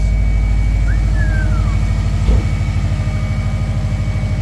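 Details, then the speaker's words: Subaru Forester XT turbo engine with a blown turbo leaving residual smoke and oil, running through a pass-through muffler: low, steady idle pulsing evenly with a quick rev blip midway, no whistle, grind or knock; sounds healthy and quieter than expected. "She's a good sounding unit though. Yeah. I like it. No, it actually is a lot quieter than I expected it to be."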